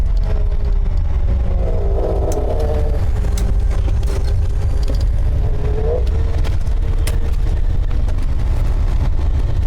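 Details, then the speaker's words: Road test of a large vehicle after rear brake and hub work: steady road and engine rumble while cruising, with no whine, growl or clicking from the rear axle. The earlier noise seems gone, but a vibration remains. "I'm pretty sure the noise is gone that I was hearing still have a vibration"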